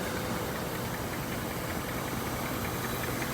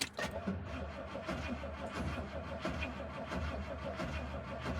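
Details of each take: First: 1967 Rolls-Royce Silver Shadow, just back from the shop, warmed up: soft, even idle with a steady low hum and no misses or knocks; normal warm idle. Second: 1967 Rolls-Royce Silver Shadow, not yet started that day: the starter drags the engine over slowly and unevenly and it won't catch. The owner says the battery is low and needs replacing.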